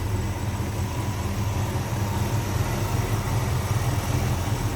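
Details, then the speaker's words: 1957 Chevrolet Bel Air hardtop, 350 small block V8 with Pro Comp intake, 700R4 automatic, a little over 7000 since engine rebuild: even, steady low burble at idle with no ticks, knocks or misses; healthy idle. "nicely equipped smooth running sounds good a little over 7000 since the engine and were rebuilt"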